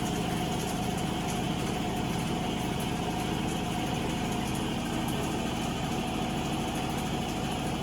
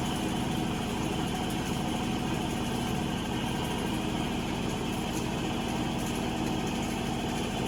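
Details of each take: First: Avanti TLW 21D2P portable washing machine trying to drain: steady electric hum with a faint pulsing beat and no water moving; water won't pump out of the hose into the sink; clogged drain pump. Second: Avanti TLW 21D2P portable washer, draining nearly done and spinning: even motor whir with steady drum spin, no knocking or grinding; normal spin cycle, though drain pump had not pumped water out.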